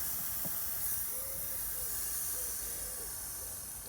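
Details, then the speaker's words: 2008 Citroën C5 II air-conditioning circuit, repaired less than a year earlier and found empty again: a steady, sharp hiss of refrigerant escaping under pressure during a partial charge. The huge leak was at a hose joint and was fixed by replacing the AC seal. "on n'a pas besoin de traceurs le bruit suffit"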